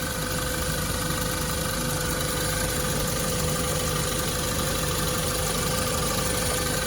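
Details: 2016 Land Rover Discovery 2.0 just after water pump replacement, first start while bleeding coolant: steady even idle hum with faint high tone, belt may squeak slightly from spilled coolant; engine sounds healthy.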